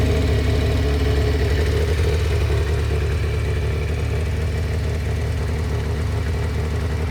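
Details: Kawasaki ZX600D after winter without maintenance, now starting after spark plug replacement (old plugs worn): four-cylinder engine holds a steady, even low idle with no misses or knocks; normal idle.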